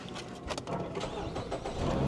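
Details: Fiat at auction with 105,000 miles: short crank, then the engine catches quickly and builds into an even idle, a clean healthy start.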